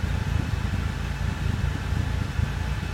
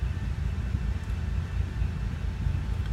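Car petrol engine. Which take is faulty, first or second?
second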